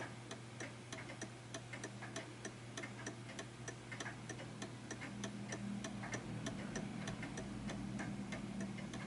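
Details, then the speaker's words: Art Deco chiming mantel clock being adjusted into beat: even tick-tock at about ninety-seven beats a minute with ticks and tocks evenly spaced, ending in a properly in-beat setup. "So I can hear that ticking quite nicely, but it's not perfect, so bear with me. Because you want to hear a proper tick-tock rather than a tick longer than the tock."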